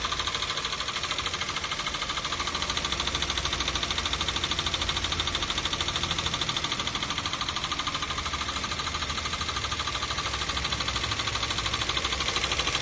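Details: 2012 Toyota Avanza/Daihatsu Xenia with the 1.5 L 3SZ-VE I4 engine: a steady, quick, even ticking knock over a smooth idle, unchanged after an oil change and replacement of all four spark plugs. Cause unknown.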